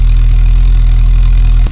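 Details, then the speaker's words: 1986 VW Golf 2, 1.8 GX 90 hp engine, cold start around -13 °C after engine problem was fixed, starts slowly cold: deep, steady, even idle with no misses or stumbles; normal idle. "конечно в холодную немножко он медленно стартует вы видели но немножко газу dash и через одну-две минутки он работает но слышите все работ ладно выключаем"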